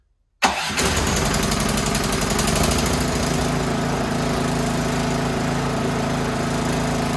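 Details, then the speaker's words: Toro Power Max 824OE snowblower after carburetor rebuild: catches at once and settles into a smooth, steady idle with no hunting. Normal start and idle. "sounds good [Applause] and she idols"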